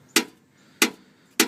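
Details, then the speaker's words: 2007 Chevrolet Silverado crew cab 4WD Z71 5.3, heat shield under truck near rear of transmission/transfer case tapped by hand: sharp tinny metal clanks; loose heat shield causing clunk on shifts and take-off, truck silent after removal. "Clank Clank Clank huh sounds exactly to the noise that that I hear every time that I hit the gas stop put it from neutral to drive Park to drive everything else that's been bugging me for the past year"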